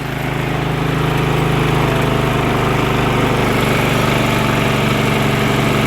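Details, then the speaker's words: Briggs & Stratton Vanguard twin after carburetor work, running once its carburetor solenoid got 12 volts; smooth, even idle with steady low beat, no misses or knocks, idle being brought down; normal idle. "Idle has to come down. Nice running engine. Not too slow. Wow, this is a really nice running engine."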